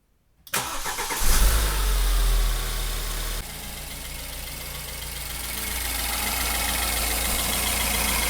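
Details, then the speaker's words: BMW 1 Series N43 engine after DIY bottom-end rebuild for spun bearings, baseline recording around the engine: quick crank, catches at once, flares then settles to an even smooth idle with no ticking or knocking. "I'm also going to record sound at the different locations around the engine and this way I'm going to get good Baseline sound signature"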